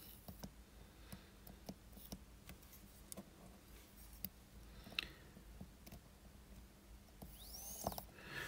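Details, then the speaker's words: Seiko 7S36 watch movement during reassembly of the train of wheels, barrel touched with pegwood before the train bridge is screwed down: light clicks, then a fine whir rising and fading. All wheels are seated in their jewels and pivots and spin freely. "And there we go. Once you can hear that sort of sound, you know that the wheels are all in their jewels and their pivots, and we can finally screw the train on."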